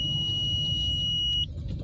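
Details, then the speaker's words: Nissan Versa with codes P0705/P0706 (transmission range sensor) and hesitation complaints, on a test drive: a steady high-pitched beep lasts about 1.5 seconds over road noise while the car accelerates well; the beep's source is unknown. "not sure what that beeping is about he's accelerating pretty well"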